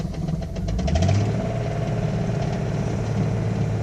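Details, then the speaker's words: Engine at idle with 40 psi oil pressure, temperature not above 210: a dull, rapid clucking knock from the center of the engine below the intake, louder than a lifter tick, fading at higher rpm; owner suspects a worn cam lobe. "That's a lot louder than a lifter. But this initially started off as a lifter. It sounded like a lifter."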